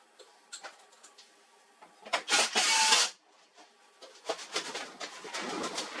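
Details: HP LaserJet 4345 after replacing the worn fuser drive swing plate assembly, which had caused loud noise and paper jams: short whirring feed bursts and light clicks between quiet gaps, with no grinding or loud rattle; normal printing.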